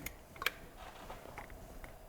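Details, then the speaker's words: Range Rover L405 with a mechanical engine fault, crank turned slowly by hand clockwise: sharp big click then lighter ticks as the timing chain slips and catches; timing chain skipping. "Did you hear that sound? Yeah. Like a big click. Yeah. as if the chain is slipping and then catching. Slipping and then catching."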